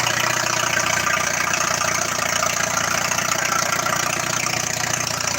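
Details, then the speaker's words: Oliver research tractor with Hercules four-cylinder gasoline engine at 12:1 compression idles with a steady, even low beat under outdoor hiss; normal idle. "wow listen to that thing idle 12 to 1 compression ratio"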